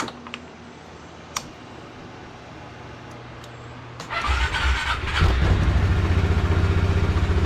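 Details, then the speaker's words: 2005 Yamaha Majesty 400 fuel-injected single-cylinder DOHC CVT scooter: a few clicks, catches within a second and settles into even quick idle; clean healthy start, though some noise heard from the rear. "just fires up and it purs"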